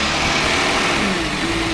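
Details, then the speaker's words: 2009 VW Touareg 3.6L with fluctuating rpm, MIL on, system-too-lean codes bank 1 and 2, under hood: loud steady airy hiss over quiet idle from internal intake vacuum leak. "so let me take you under the hood you can hear a loud hissing noise we'll go from there"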